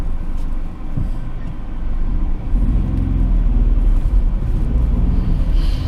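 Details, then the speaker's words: 2014 Hyundai HB20 test drive after a noisy-suspension repair: only steady low road rumble with no clunks or knocks over bumps; the suspension is tight and quiet. "ficou show de bola aqui a suspensão tá bem justinho"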